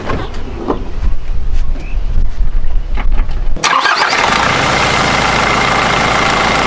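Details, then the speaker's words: Nissan Navara D22 YD25 diesel just after thermostat replacement and coolant refill, cap off, heater on hot with fan on highest speed to circulate coolant: catches and settles straight into a steady, even idle clatter; runs normally. "So I've started it obviously, and I've got the heater fan on hot and the fan on number 4, the highest speed, and that'll help get the water circulating back through."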